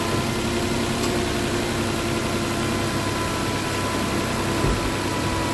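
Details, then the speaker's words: Nissan Maxima V6 at first startup after repair of a no-code misfire: steady, even idle with faint hum, no stumble; running excellent, misfire fixed; AC click heard, a hose clamp needs tightening. "This car is running excellent. That issue's fixed."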